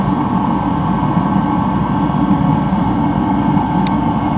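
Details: Rebuilt Mr. Heater Contractor Series torpedo heater, running about a minute, outlet reading about 865 degrees: steady, even roar with no surging or popping; burner running cleanly at full output.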